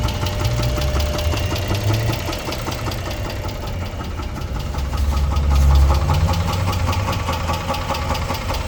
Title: 2006 Chrysler 300 3.5 V6 engine knock